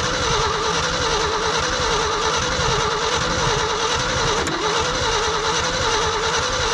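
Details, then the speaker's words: Old hybrid Ford F350 bumpside, long-sitting, cold weather, two-barrel carb: steady cranking without a cough or catch; crank no start despite spark and fuel confirmed, owner suspects spark not reaching the plugs or the cold. "I should have coughed by now got Spark It's got fuel I wonder if maybe it's not getting sparked out to here gotta check them all spark and fuel means you should run"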